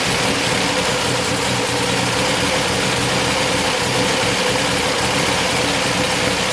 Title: engine rough idle 'click'